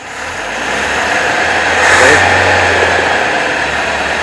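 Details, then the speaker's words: 1977 Toyota Celica with swapped cleaned carburetor, timing adjusted, about 1,000 rpm idle; after revving the engine wanders all over and chugs from the exhaust, lumpy rough idle that won't settle. Cause unclear. "around all over the place it's chugging out of the exhaust"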